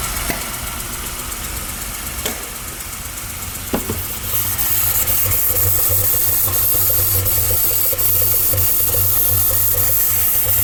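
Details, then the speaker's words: Ford truck V8: once it fires, lumpy stumbling idle with clacking and puffs popping back through the intake, eventually dying; one cylinder dead from a worn cam lobe, first suspected as a broken valve spring. "But she does run terrible, and you can hear it clacking away too."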